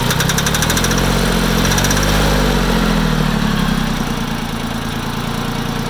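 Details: Farm Pro 2425 diesel tractor idling warm, with a knock that develops 5-10 minutes after a cold start. A dull, fairly regular knock about three times a second over the rumble; the cause is still unknown.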